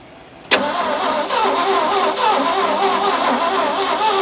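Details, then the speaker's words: Abandoned 1971 Ford F100 V8 with engine previously seized, compression reading about 40: starter spins it with a fast, lazy rhythm and no firing; low compression suspected as the reason it won't run, valves to be checked. "so it's enough to enough to make noise but not enough to make boom no simply just not enough to make boom could that be the reason it's not running"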